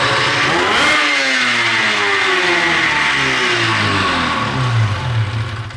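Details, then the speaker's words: 13-year-old race two-stroke snowmobile revved with drive belt removed, on pump gas not race fuel: revs rise then note sags and flattens unevenly instead of climbing crisply; low-rpm bog persists, owner suspects sticking power valve. "we're going to see if the bog is consistent you know even without a Bel on it"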